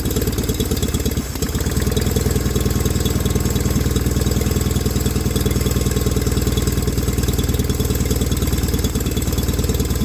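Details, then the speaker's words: 1989 John Deere 420 garden tractor: steady, even low idle with no misses or knocks; running and driving fine. "so really well we now have a running driving john deere 420"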